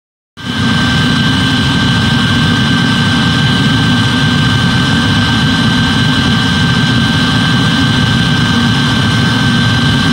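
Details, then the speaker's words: Eberspächer D5WZ diesel parking heater in a Ford Galaxy/VW Sharan/Seat Alhambra TDI after repair of at least three faults: brief start-up then steady burner roar and smooth fan hum, fuel pump audibly ticking, no surging or popping; running healthy. "audible running of the fuel pump :)"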